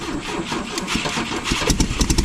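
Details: 1972 Volvo 145 on rigged fuel with vacuum ports plugged: catches after cranking, then stumbles with uneven, lumpy firing pulses; only two cylinders firing because plug leads were off, runs on four once reconnected.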